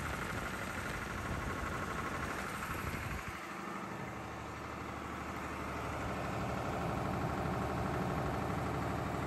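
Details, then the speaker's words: Air-cooled 109.5HP Lister diesel farm backup generator (thought to be about 100kVA), monthly check start: cranks over then settles into a loud even thrum with steady fan roar; normal healthy running. "all right so walked away from it now because it is so loud can't hear myself think"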